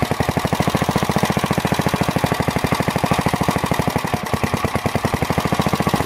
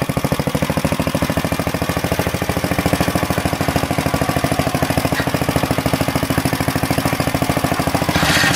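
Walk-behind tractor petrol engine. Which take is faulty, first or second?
first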